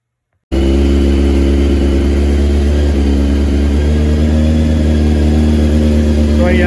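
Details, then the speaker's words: 1997 Honda CBR600 F3 started with a jumper wire across the fuel pump relay wires (black/white to black/blue) during fuel pump and relay testing: catches quickly, then settles into a steady, even, smooth idle; sounds healthy. "collected jumping wire in place and it fired right up"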